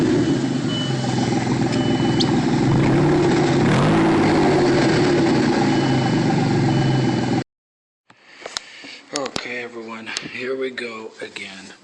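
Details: Loud raspy idle with a sharp puffing chuff each firing, about three a second, from a loose muffler and tailpipe joint blowing exhaust; clamp fixed one side and the other came off.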